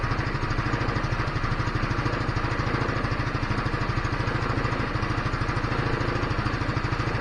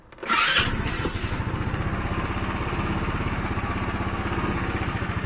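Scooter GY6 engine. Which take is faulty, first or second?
second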